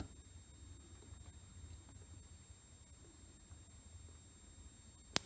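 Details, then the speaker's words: Suzuki RE5 being timed by hand with spark plug out and ignition on: near silence, then a single sharp crack as the plug fires at about seven degrees on the timing scale, which is fine. "crack did you hear the crack that was a spark plug firing this one set at about seven degrees which is fine"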